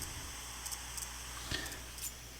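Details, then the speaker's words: Yaesu FT5DR dual-band handheld, audio held to microphone: faint irregular click-click ticks about every half second over quiet squelch hiss, leaking into speaker; clicking largely stops when GPS log turned off, sometimes GPS must be off too; owner suspects logging/recording. "you kind of hear that clicking or that kind of static but not not the static in the background that's from the squelch but it's like a click click click click"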